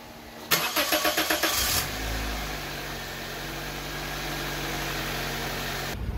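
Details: 2006 Toyota Corolla after alternator replacement and battery reconnect, test start: starter cranks in quick even pulses about a second, catches and settles to a smooth steady idle; healthy start.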